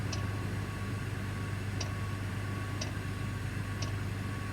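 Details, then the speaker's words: Parked heavy-haul truck, engine off, Webasto diesel bunk heater running: crisp tick about once a second over a low steady hum, normal heater operation. "by the way if you hear that clicking sound don't be alarmed that's my uh bunk heater Webasto cuz I don't want to run the engine and so I'm running my"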